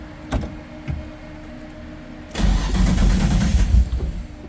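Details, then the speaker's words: Nissan 240SX cold start: a couple of short cranking bursts fail, then it catches on the second try and runs rough and loud; hard cold start, typically needs a second crank. "Always second try on the cold start with these. Sounds good though."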